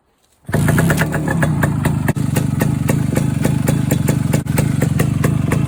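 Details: Suzuki K125 Type 4 two-stroke after exhaust leak repair, right baffle burned out and new muffler joint fitted: fires up and settles into a crisp, even pop-pop idle with steady beat, no puffing or hiss; running healthy.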